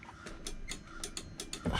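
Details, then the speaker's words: 1998 International 4000 bucket truck with non-working running lights: the horn relay clicks crisply, about four per second, when the horn is pressed, showing the relay and its circuit fuse are good. "oh i hear the relay clicking so this should be the horn relay yep so that relay works"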